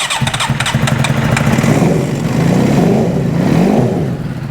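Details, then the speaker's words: 2008 Suzuki GSX-R750 that left its owner stranded, regulator relocated to the side: stumbling start, reluctant to fire, then uneven, lumpy revs that fail to build smoothly; spark plugs, fuel pressure and coils to be checked. "You can hear that it doesn't even want to start. So I'm hoping we're going to check fuel pressure on this. We'll go ahead and pull the spark plugs out."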